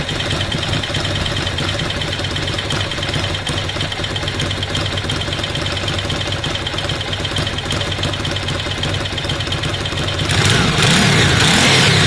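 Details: Ducati Monster twin idling after a cam belt change: even idle with light, fast metallic ticking over the twin's beat, then a rev; normal Ducati dry-clutch rattle, not a fault.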